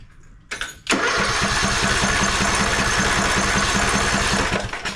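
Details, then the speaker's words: Craftsman LT1000 mower, non-original single-cylinder Briggs & Stratton 17.5 Intek, throttle up, battery on the seat switch: starter churns about four strokes a second for roughly four seconds and never fires; spark is very weak, and the ignition coil proved bad. "no cranky okay that rolls out a fuel problem now let me look over here at the spark tester see if she's getting spark"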